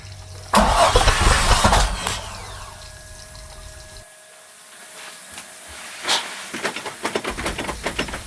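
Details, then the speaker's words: 2008 Bayliner 195, 4.3L Vortec V6 MerCruiser Alpha One, first start after winter storage: loud cranking burst, fuel spraying, then uneven sputters, pops and a backfire as it tries to catch; fogging oil makes it hard to start. "oh I can hear it spraying fuel now it's kind of irrated but oh oh wow got a bit of a backfire going"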